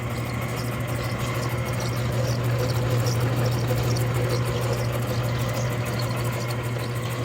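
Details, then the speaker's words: Freshly rebuilt Clipper Super 47B grain cleaner: motor starts and runs strong, smooth, barely audible low hum with soft rhythmic whirr about three beats per second; normal running. "motor starts strong runs strong runs nice and quiet nice and smooth you can barely hear it"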